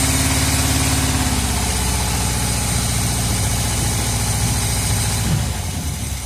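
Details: 1978 Chevrolet Custom Deluxe truck, carbureted V8 running after sitting about 21 years, no coolant so run briefly: steady, even low rumble, no knocks or misses; accelerator pump seal bad, leaking fuel at the shaft. Normal, smooth, quiet idle.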